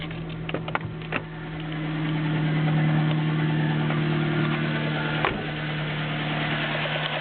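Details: Nissan Micra 1.0 16V petrol engine at idle, after the belts were tightened: a light, quick ticking at about three a second over the hum; owner says only valve tapping remains.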